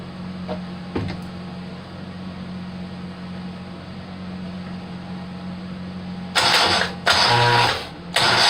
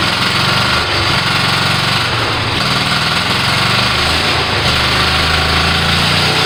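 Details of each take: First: Rebuilt Kohler Command 18 hp engine, first start attempt, carburetor fed by a funnel since the fuel pump hose is soft and falling apart: background hum, two short cranking bursts, never fires; stuck fuel shutoff solenoid blocking fuel to the jet. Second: Kohler Command 18 hp twin after rebuild and carburetor work, first start: loud rattle at steady speed with a slight rolling surge; engine fires and keeps running on its own.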